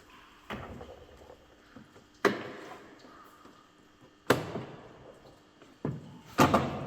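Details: Mercedes B-Class door after the fix: lock rod bent to a slight curve so the cover no longer presses it against the door, cover refitted. Three firm thuds, each door closing cleanly with no rattle or bounce: latching properly.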